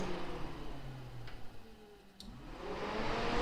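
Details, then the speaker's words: Jeep 4.0-liter with mechanical fan replaced by relay-wired electric fans, testing big fan switched to high speed: whoosh down then loud steady rising air rush, whole Jeep vibrating, kicking up dust; healthy, clutch-fan-like airflow. "oh that's high oh that sounds good I can feel the whole Jeep vibrating from that fan yo it's kicking up dust too that's that's some good CFM that feels like a clutch fan"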